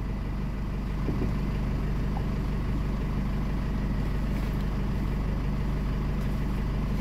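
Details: Chevrolet Trailblazer that died while running and restarted after a battery swap, with a charging-system warning; after reassembly it holds a steady, even low idle with a smooth rumble and no knocks, misses or squeals.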